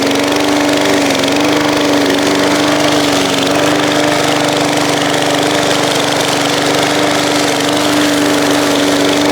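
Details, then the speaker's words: Briggs and Stratton push lawn mower, revived from scrap, just after an oil change, cutting grass outdoors in the heat: steady, constant drone holding its pitch under load, no surging or missing; mowed pretty darn good, running healthy. "Well, I have to say that thing mowed pretty darn good."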